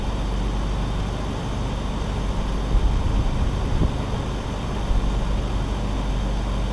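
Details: BMW E46 straight-six idling right after first start following three months sitting, plugs reinstalled with oil poured into the cylinders; steady, even low rumble with no knocks or misses, a little blue smoke from the exhaust dump due to that oil.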